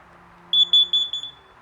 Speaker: you hear that four beat that's what a carbon monoxide detector sounds like so in the in the event you hear one two three four and a pause one two three four and a pause that's carbon monoxide